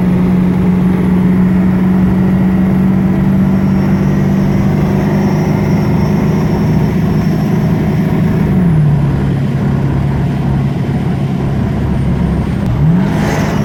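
Steady low whine riding over the running vehicle that drops in pitch near the end and then sweeps back up, source unknown.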